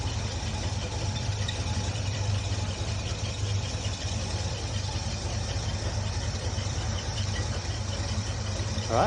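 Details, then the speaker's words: 1974 Bitter CD, Chevrolet 327 V8, after replacing HT leads, cracked distributor cap, points and condenser for a misfire under load: warm engine idles smoothly at an even, steady beat with no stumble; normal idle. "start her up and make sure she runs well sounding good but uh it did sound good before on idle and on the red"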